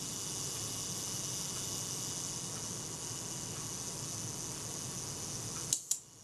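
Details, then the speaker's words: Kodak Retina IIIc self-timer after cleaning in naphtha: even unbroken buzz running down, ending in crisp double click as it sets the shutter off nicely; works properly. "And it sets the shutter off nicely."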